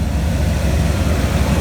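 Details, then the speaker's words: Engine of a 1999–2000 GMC Denali/Escalade (GMT400) at first start-up after replacing the oil pressure switch, fuel filter, coolant temperature and crank sensors, heater core and hoses; thermostat not yet done. Deep, steady V8 idle, even rumble, no knocks or misses: normal idle. "he's alive. He's back. Been down for a minute, but he's back. Sounds real good."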